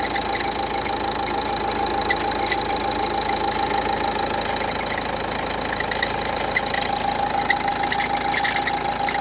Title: Strange noise Renault Duster 1,5dci, alternator pulley replacement. Înlocuire fulie alternator.